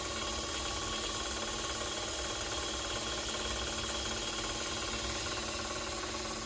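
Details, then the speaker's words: Grizzly G0704 mill spindle at 1,000 RPM with Timken bearings noisy right out of the box: dry, uneven chattering rasp over a hiss, pointing to rough spindle bearings. "This is 1,000 RPM. You can already hear the bearing chattering."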